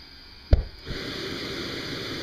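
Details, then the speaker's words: Old AMT air-start RC turbine engine, cold near-freezing weather, glow plug on, propane introduced: a single thump as it pops, then a steady airy hiss builds and holds as compressed air spins the turbine up; normal air-start spool-up. "it may be hard to get that to pop but once you hear it pop you can basically get the air on it full start turning up the propane and it should be ready to go"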